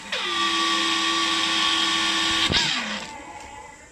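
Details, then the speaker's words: New Hitachi water pump: motor spins up to loud steady whine with rough edge, then winds down; first thought a broken bearing, noise traced to rear of motor where cooling fan sits. "ซึ่งก็เท่าที่ดูนะครับเสียงดังเนี่ยมันเกิดมาจากแถวๆจุดนี้แถวตรงด้านท้ายของตัวมอเตอร์นะครับซึ่งตรงนี้มันจะมีใบพัดอยู่นะครับ"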